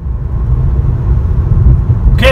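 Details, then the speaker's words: 2013 Ford Taurus SEL with the larger V6, test drive after a rear wheel hub bearing replacement: steady low road rumble at cruising speed with no tractor-like rattle or growl. Normal road noise; the old bearing was the cause. "I'm test driving and the car is nice and smooth. It does not sound like a rattle like a tractor. And so the bearing was the cause of the road noise."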